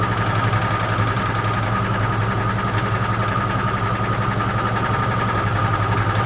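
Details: AMC Concord six-cylinder parked 26 years since 1997, after tightening the spark plugs: steady, even idle with a low constant drone and no misses, sounding like it's firing on all cylinders; carburetor mixture still needs adjusting.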